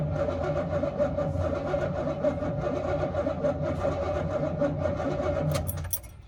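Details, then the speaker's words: 1969 Buick Skylark, off road since 1985-86, flooded with water-filled motor, in park; suspect once-submerged starter churns about four pulses a second with a lumpy, uneven beat, no catch; owner suspects a weak starter or more likely compression issues or a hung valve. "she cranks doesn't sound very even i don't know if that's because of starters a little lame or more likely it's got compression issues or a valve hung up but it spins that's a win"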